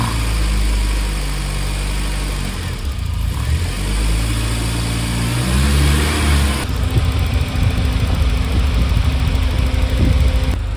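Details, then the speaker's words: Warm Volvo 940 turbo with the ECU coolant temperature sensor unplugged, during troubleshooting of a cooling fan that would not turn on: engine starts a bit badly, then idles steadily while the fan runs at full speed as it should. "you notice the engine uh starts a little bit bad when the sensor is off or that I have disconnected the S ECU temp sensor"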